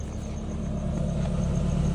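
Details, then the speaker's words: 2002 Toyota Camry Altise after fixing the engine noise: steady, even exhaust rumble at idle with no tapping or misfire; engine back to normal and check engine light gone. "and as you can tell the engine noise is going back to normal"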